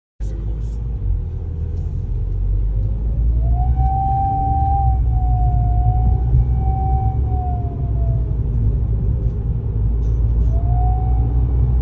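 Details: Newly installed TBO K04 turbo: loud clear whine that rises in pitch with load and sags off-throttle over deep engine rumble, under low or high load, getting bad enough to rattle other parts.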